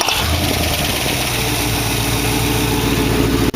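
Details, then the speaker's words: Dual-quad V8 in a 1914 vehicle build with direct, non-progressive linkage; idle still a little fast. It fires right up and settles to a steady, even idle with no misses. There is heavy smoke at startup, which the owner suspects is an oil seal. Normal start and idle. "Quite a bit of smoke when you first start it. Pretty sure that's the oil seal, but at least it's starting up good and idling good."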